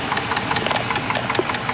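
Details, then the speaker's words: 4.7L Dodge at about 200,600 miles, after lifter replacement and fulcrum checks, warm after a roughly 15-mile drive: sharp, fast, evenly spaced clicking over idle that follows engine speed, located by stethoscope at the valve cover; valve train ticking, cause unconfirmed. "All right, folks. So, it's clicking. You can hear it. And I use the stethoscope. It's It's coming uh from the valve cover and uh man, I thought I had it."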